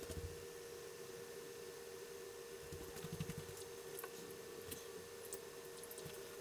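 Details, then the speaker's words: Coleco Adam data drive after cleaning the head and oiling the index wheel, formatting/verifying a tape: quiet even run with faint hum and light ticks, no squeal as before, no stalls; normal tape drive operation. "listen how quiet this drive is the little bit of oil made that much of a difference remember how i squealed when i first got it"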